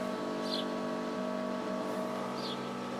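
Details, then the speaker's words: 1986 Toyota MR2 with eBay turbo conversion and rebuilt head, engine off before startup: steady, even mid-pitched electric whine from the turbo oil scavenge pump in the background. Scavenge pump running normally. "noise you hear in the background is the scavenge pump."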